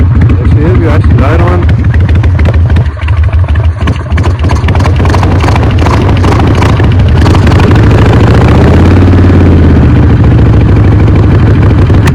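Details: Carbureted bike first start after not running for a few years, choke pulled, fresh fuel; loud, uneven idle with a slightly lumpy beat that doesn't settle fully, rough running expected to clear with more fresh fuel and riding.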